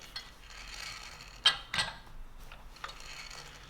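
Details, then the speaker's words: Indicator tip passing over rough casting skin of a ductile iron blank while indicating the OD on the lathe, for a Walker-Turner radial arm drill adapter plate: faint intermittent scratchy rasps, harmless surface noise, nothing wrong; a wide radius indicator tip helps. "i'm sure it's going to make quite a few people cringe hearing that but there's nothing wrong with that sound right there it's just it makes the sound it makes going across that crust"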